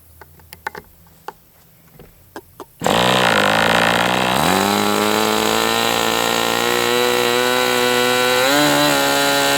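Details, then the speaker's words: MDS 68 FS Pro four-stroke glow model engine, early break-in, high-speed needle closed then opened to 2.5 turns via extension. Few sharp clicks, catches, steady buzz that barely climbs, then dies; rich and lazy. Owner suspects glow plug, considers replacing it. "It wasn't sounding like it was going, you know, really picking up RPM. It just died. I wonder if it's this plug. Maybe I should replace that plug with something a bit better."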